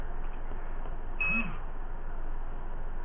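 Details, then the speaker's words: Banggood 4-in-1 Multiprotocol Module v1.2 in a Turnigy 9XR Pro with auto-bind on and a manual long-press bind. One short high haptic beep repeats over a quiet hiss as the bind is sent, but the receiver never binds. "rip up to the bind key long press it you can hear it I got the hepatic on it's sending the bind"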